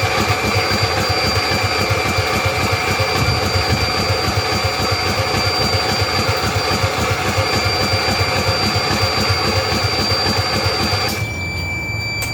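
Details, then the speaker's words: Custom-built 6x4 garden tractor/riding mower, sat since last year, battery not charged: laboured, even churning at three to four beats a second that never catches, then stops; slow cranking from weak battery. "let's see if this even uh wants to fire up here or turn over would here that the battery is not charged let's see if it'll turn over"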